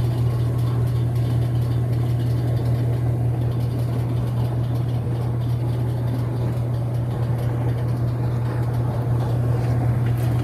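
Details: Whirlpool WTW5300SQ0 top-load washer after a new timer was installed, spinning: a steady low hum with an even drone and no knocking, banging or grinding. Quiet, normal spin.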